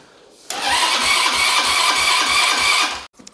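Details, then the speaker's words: Cheap off-road buggy with a freshly installed engine, carburetor still empty and idle screw turned down: the starter churns at about four pulses a second for over two seconds without firing. Low cranking speed or lack of fuel is suspected. "kann sein dass die Anlasser drerehzahl nicht reicht ja muss ja auch erstmal Benzin haben ne ich meine der Vergaser ist komplett leer und der kriegt ja auch nur Sprit wenn er Unterdruck zieht"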